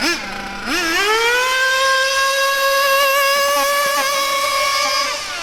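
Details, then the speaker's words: Bio Hyper 7 buggy with a Mach 28 nitro engine at full throttle in cold weather: a shrill tone climbs quickly, then holds clean and steady without sagging, with blue exhaust smoke. This is a good high-speed needle setting, slightly rich. "so for me that there is what I would consider to be a good maybe slightly rich but that's good in this cold weather that's what I consider to be a good highp speed setting if you listen to the sound and watch the exhaust mode you can't go wrong"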